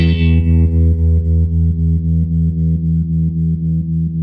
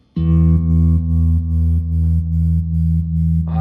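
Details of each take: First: Restored 1974 Fender Super Six Reverb, 100 W, six 10-inch speakers: a held, distorted guitar chord pulses about four times a second at the slowest setting. The tremolo runs too fast for the original capacitor. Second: 1974 Fender Super Six Reverb, 100 W, six 10-inch speakers, after restoration with tremolo capacitor values being changed: sustained chord throbs slowly and evenly at about two and a half pulses a second, the slowest setting; tremolo healthy.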